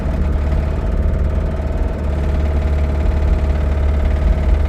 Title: Limped my Rod Knock Camry Home!